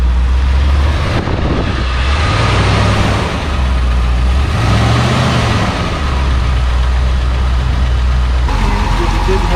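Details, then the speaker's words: Barn-find 1966 Ford Thunderbird V8 idling after cleaning the cylinder 8 plug that hadn't been firing: deep idle with slightly uneven beat, still a little rough, slight lifter tick, after a 125-mile drive. "I mean, it's still a little rough. And I hear a lifter tick just a touch."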